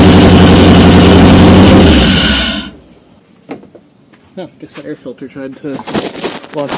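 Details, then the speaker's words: Porsche 928 V8 (tan car) started after sitting all winter, first start in 15+ years: loud, rapid, throaty bark runs strong a couple of seconds then cuts off; starting properly, earlier non-start traced to crank position sensor connector. "I guess that means the reason it hasn't been running was position sensor connector"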